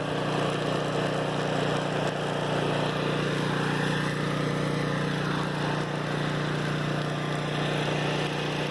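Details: Flotec shallow well jet pump on 1¼-inch PVC with foot valve, about 19 ft well point, generator droning behind: steady hum without surging or sputtering at full flow with no hose nozzle; earlier lost prime sucking air; normal running.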